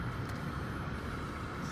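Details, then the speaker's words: Mercedes E320 at 192k miles, new RockAuto blower fan motor replacing one that chirped in cold weather, tested on maximum auto: smooth, even airflow hum with no chirp or rubbing, blower running normally. "there's the blow Maximum Auto yep it's working yeah you cannot hear the uh the chirping sound during summer"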